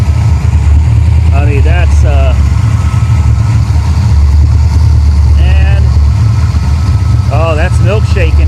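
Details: Copart 1987 Ford Mustang GT V8 (non-stock engine) idling with oil cap off: heavy, steady deep throb; suspected excessive crankcase blowby, with milky oil under the cap suggesting water mixing with oil.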